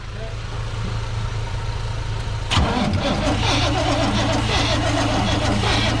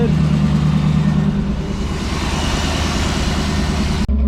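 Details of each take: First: Lowered 1988 GMC Sierra 3500, air filter off: starter cranks evenly at about four beats a second but it never catches; no fuel delivery, and it ran only on starter fluid. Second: Lowered 1988 GMC Sierra 3500 after plugging in both fuel pumps, only one had been connected: deep, steady idle with an even low rumble and no misses or knocks; it now runs on its own fuel.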